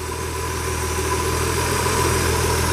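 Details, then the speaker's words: Ford F100 with 300 inline six; steady, even idle, smooth low rumble, no knocks, ticks or misses; running clean and healthy, like a sewing machine. "which I will have to say runs like a freaking sewing machine. Listen to that thing."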